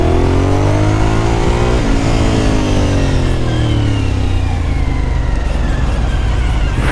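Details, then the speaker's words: Suzuki SV1000 V-twin riding under hard acceleration: tight mechanical whine rising with revs like a supercharger, the normal gear-driven cam sound. "got a look that gear-driven cam sound oh wow sounds like a [ __ ] supercharger"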